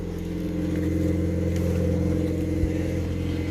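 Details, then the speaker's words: Ion Redline after fitting a replacement supercharger, fuel pump primed after fuel was drained: even, steady idle with a smooth low drone and no rattle or howl, supercharger sounding much better; transmission still sounds bad, clutch suspected. "And the supercharger sounds much better. Much, much better."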